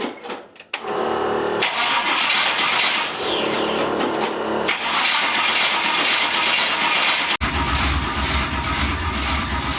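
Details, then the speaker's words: Small block Chevy V8 in C10 truck with carburetor and 700R4 transmission: starter spins the engine steadily for several seconds with no cylinder firing; cranks but does not start, owner suspects the distributor. "sounds like we're not hitting at all let me check that distributor"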